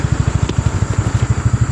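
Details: Golf cart after a small single-cylinder engine swap, started by pull rope: quick, even putt, roughly eleven pulses a second, steady in strength with no misses; idling smoothly.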